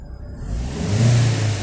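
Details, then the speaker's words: VW Voyage 1.0 EA111 after oil pump replacement, heard from inside the car: engine revs smoothly from idle in one even climb with none of the earlier loud noise from the oil pump area; normal revving. "é mais um barulho que estava fazendo era alto para caramba e dava para ouvir de longe e Graças a Deus não estou ouvindo mais certo problema solucionado com a troca da bomba de óleo"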